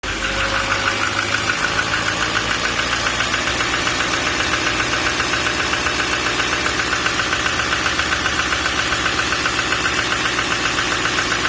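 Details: 2014 Duramax 6.6 diesel at idle; steady sharp knocking about once a second over the idle; internal engine knock, cause not pinned down.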